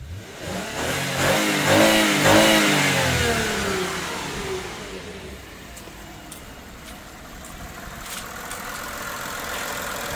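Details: Lexus engine after repair, no white smoke or sweet smell from exhaust: revs climb smoothly through a couple of clean blips and settle to an even idle, no misfire or stumble; sounds healthy.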